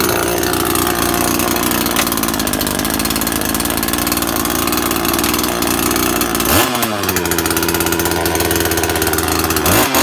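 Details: Makita top-handle climbing chainsaw, two-stroke petrol, first start after replacing broken-down primary ignition coil: crisp even buzz dropping and picking back up cleanly with throttle, no misfire; now runs properly.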